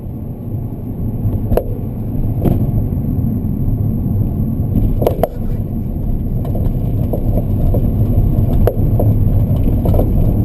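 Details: Rear-left BC Racing coilover knocking, with irregular dull clunks over bumps, after under 4 months of use. Tightening nuts and adjusting height and preload did not help, and stock suspension was quiet. The shock cartridge had failed and was replaced under warranty.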